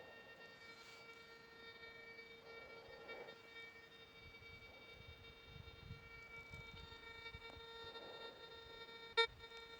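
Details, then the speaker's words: Monero Lejyoner induction balance metal detector just switched on, volume high: steady mid-pitched bee-like buzz as the coil comes near the body, a false metal signal. "arı vızıltısı gibi bir ses geliyor başlık bana yaklaştığı için metal algılaması yaptı"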